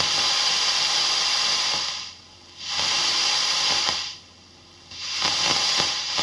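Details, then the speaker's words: Fender ProSonic valve amp on the bench after a full recap, miked at the bench cab. On the second channel, bright hiss swells with scattered dry crackles as volume and treble turn: scratchy pots. Extra hiss comes from the bright cap, which is normal. "Same again on that channel. Both the volume and the treble are they're not noise free. It's a fair way of putting it. There are is some rustling going on, bit of crackling."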